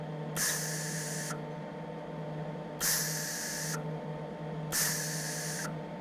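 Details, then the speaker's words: MIG welder shielding gas turned down from too high to the correct flow: three short, soft, even hisses on trigger pulls, much quieter than the excessive setting; correct shielding gas flow. "want so that's a lot quieter it's it's it's a distinct sound you hear when you get when you do this a little bit you can stay right there"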